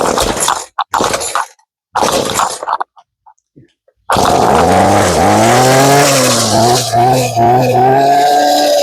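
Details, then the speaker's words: Ryobi two-stroke gas trimmer with replaced carburetor that used to die at idle, after adjusting the idle screw a few choppy bursts then a continuous wavering, hunting idle that no longer dies; rough but running. "Okay na. Okay hindi na siya namamatay."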